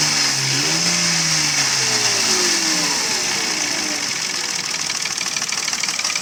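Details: Mercedes ML320 with M112 3.2 V6 running with hollow, fairly regular knocking about three per second: piston slap, pistons loose in badly scored cylinders (engine not sleeved from factory).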